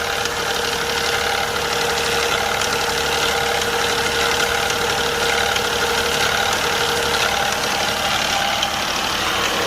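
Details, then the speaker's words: Infiniti Q50 twin-turbo after replacing both turbos, idling at just over 1500 rpm; busy clatter and ticking heard on the right-side engine bank, cause unknown, timing chain feared. "Right now the car is at idle and I have the RPM a little bit above 1500, and I hear this noise on the right engine. It is more noticeable on this area right here."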